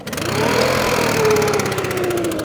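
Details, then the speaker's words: Stihl BR600 backpack leaf blower in for valve adjustment and full service, started on choke with fresh fuel after pumping primer: fires on the pull, revs up and settles into a steady even rattle with no stumbling; starts better, healthy start. "actually starts better"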